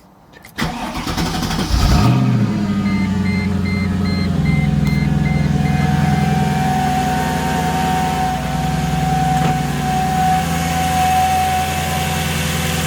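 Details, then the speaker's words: Mercedes C55 AMG after a custom fuel filter setup, fuel pressure just under 60, in neutral: cranks briefly, catches cleanly and settles into a steady, even idle with no misses or knocks, smoking out the garage; starts and runs. "oh yeah we're good oh way I cannot believe that I they just smoked out the garage but anyways we're good you guys right at that 59 kind of right under 60 Mark as it was no"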